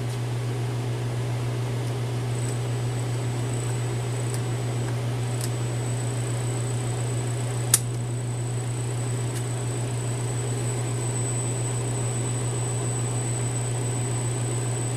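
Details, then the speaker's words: 1/2 HP three-phase motor on VFD at 5 Hz, furnace running in background: soft steady hum, no rubbing, clicking or grinding; runs quietly and smoothly at low speed. "that silence sounds and feels pretty good that noise the the major background noise right now is the furnace running in here"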